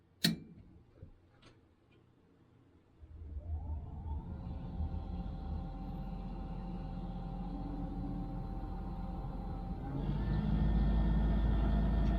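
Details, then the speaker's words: Trane XV90 furnace just after replacing the inducer fan motor: a click, fan spins up smoothly to a steady quiet hum, burner lights with soft roar, no rattle; much quieter than before, normal operation. "Oh yeah, that sounds much better. Wow, much quieter. It just lit. And we're running."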